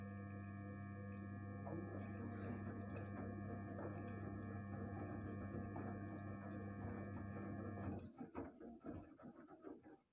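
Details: Gorenje inverter washing machine, 8 kg, one year old: steady, pure humming whine with layered tones from the motor, stopping abruptly near the end.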